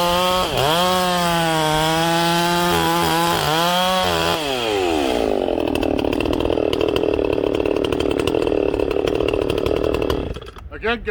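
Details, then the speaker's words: Ported chainsaw during break-in, first cuts in wood at full throttle: howls and breaks up into slight four-stroking now and then from a deliberately rich high-jet tune, as wanted for break-in. "you hear it four stroking a little here and there that's what i want during breaking"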